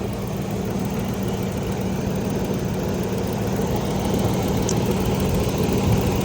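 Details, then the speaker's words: Land Rover Discovery 1 3.9 V8 idling after new spark plug wires fitted: smooth even low rumble with no stumbles, misses or arcing snaps; normal idle. "Sounds good. Don't hear anything arcing over there."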